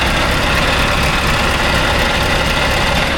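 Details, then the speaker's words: Deep, steady idle heard at the front of a Scania V8 diesel truck after the compressor cog was repaired and a new seal fitted, running smooth and even with only a faint light rattle left; the earlier knock is much improved. "But initially at the front, sounds like a V8."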